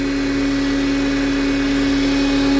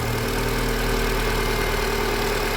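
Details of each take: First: Renault Oroch/Duster engine idling with the old original PCV valve, which is faulty: steady pure whistle over the idle from intake vacuum that stops abruptly near the end while the engine keeps running. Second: Renault Duster Oroch idling right after the faulty PCV valve was replaced; smooth, steady hum with no hiss or rattle, a normal idle, though the mechanic expects the noise may return later.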